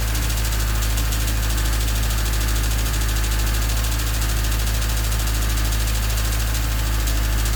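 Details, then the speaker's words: Honda D16Y8 with new header at idle: fast, even chatter, quickening as throttle opens, stethoscope places it in the head around cylinders 1 and 2; owner suspects valves rather than rod knock, unconfirmed, amid ongoing idle issue. "So as you can hear, it's still chattering quite a bit, and it gets faster as the throttle opens up. It still sounds a lot like valves to me,"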